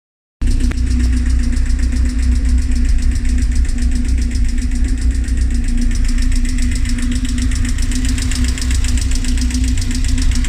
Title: Rover K ticking noise